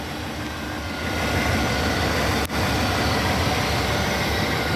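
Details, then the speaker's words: 1999 Chevy Suburban K1500 LT, about 25 years old, idling outdoors: steady, even low rumble with no knocks, ticks or squeals; smooth, quiet, normal idle. "This is what she sounds like. Nice and quiet."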